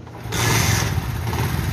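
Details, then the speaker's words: Motorcycle after fitting a small spring to fix cam chain noise: even, low single-cylinder thump at steady idle with no rattle or ticking; the chain is now quiet. "अब जो समझ में इसकी बिलकुल zero metre ऊंची है कोई आवाज नहीं इसके इंजन में"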